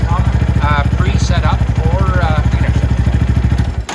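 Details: Venom X22R Max 250cc fuel-injected single-cylinder motorcycle with its idle returned to the original setting after a brief turn-up of the throttle body screw. Even, steady putter with no misses, hunting or knocks. Normal idle.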